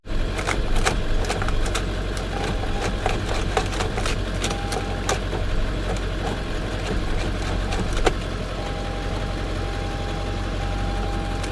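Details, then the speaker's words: Salvage auction car listed with mechanical damage, started on booster pack: dull irregular clunks over steady drone, never tries to start; engine suspected locked up. "Interesting. It's just clunking. It's listed as a run and drive online."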